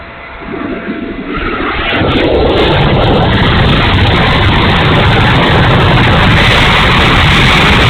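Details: E-flite A-10 Thunderbolt II RC jet, twin 64mm electric ducted fans spool up to a loud, coarse roar with a gritty, uneven edge at steady throttle; motor sounds bad and rough, cause unknown.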